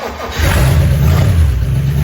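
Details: 1956 DeSoto Firedome, long stored in a barn, restarted after revival work and running on temporary gravity-fed fuel until a proper fuel pump is fitted: a low, steady rumble with an even firing beat and no knocks or misses, a smooth normal idle.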